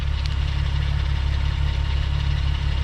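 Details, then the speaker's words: US-spec Mk4 VW Jetta VR6 wagon, engine running a while: steady low idle with a faint uneven ticking rattle about four per second; owner suspects chain noise, throwout bearing or secondary auxiliary pump, unconfirmed. "I can't tell if this is chain noise or possibly maybe a throwout bearing, or it could be the secondary auxiliary pump."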